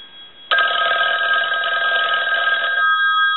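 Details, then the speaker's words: Western Electric 500 rotary desk telephone with amplified handset, bells adjusted to their limit; test ring gives a loud, rapid, even bell clatter held steady for over two seconds. The ringer is strong and working properly. "but the bells have been adjusted uh to their limit so we'll go ahead and ring the telephone"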